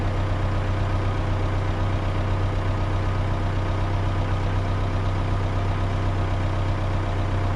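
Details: Komatsu PC130-6 excavator diesel idling after fuel tank replacement, refuel and hand-pump priming: steady, even low rumble with a smooth regular beat and no knocks or misses; it is purring, running as it should.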